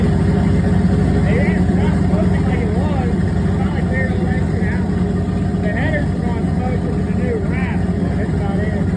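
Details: Chevy S10 Blazer V8, newly running and heat-cycling: a steady, even low rumble with no misses, knocks or ticks; the idle is healthy and the temperature is not climbing.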